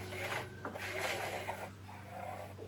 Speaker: The drum is not turning, yet there's no error code. Let me show you here. You see the drum's stiff. Sounds like it's rubbing on something.